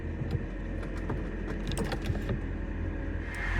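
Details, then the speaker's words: Mercedes R230 SL55 folding hardtop moving halfway: faint, sharp micro switch (S69/2, S69/3) clicks over the low hydraulic pump hum, showing the switches work, though wire breaks can still cause error B1263-001. "if you you can just about hear that clicking sound and generally if those switches are clicking like that it means they're working"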